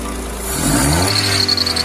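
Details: GM Astra engine revved with a high squealing chirp on the accessory belt, rising with engine speed; the belt tensioner is visibly moving, letting the belt slip.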